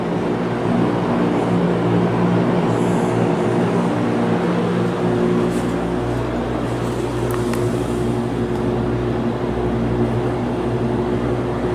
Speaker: not sure if you can hear the motor humming or not but it's quite noticeable